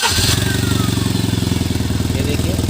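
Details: Tata Nano, misfire being diagnosed, engine running with the silencer removed. Fast, even puffing pulses over a steady low idle with no engine shake, exhaust escaping openly: exhaust leak.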